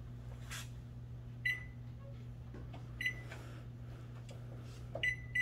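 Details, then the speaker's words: Microwave after repairing a faulty door switch and reassembling: steady low mains hum of magnetron and fan with a few keypad beeps, heating normally. Normal operation. "Microwave works."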